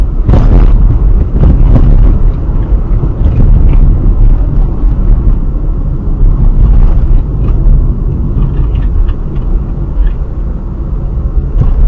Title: front right suspension noise